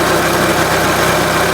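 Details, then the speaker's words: 2004 Renault Scenic 1.6 L petrol after intake manifold refit and MAP sensor replacement: steady, even idle with stable rpm and smooth regular pulse, no hissing; normal idle. "the engine is either normal without any problem no hising sound or like that no"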